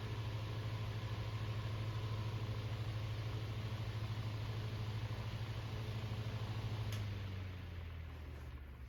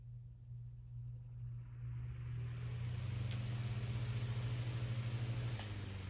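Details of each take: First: Fan after a bearing realignment attempt (it still won't line up): steady low hum for several seconds, then smooth coast to a stop; now loose, nice long spin-down, though it stops much as before. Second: Fan with misaligned bearings that starts poorly and less smoothly than before: low hum builds on spin-up with a rough throb about three times a second, then cuts off sharply; stops fast rather than coasting.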